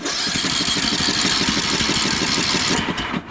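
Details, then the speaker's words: Time Cutter Z480 mower with Briggs & Stratton engine, cranked on choke; quick cranking about four pulses a second with faint sputters but no catch, muffler warm, spark present, valves checked; no-start traced to a sheared flywheel key. "It kind of sounds like it wants to go a little bit. If I touch the muffler here after even trying to start it, it is warm."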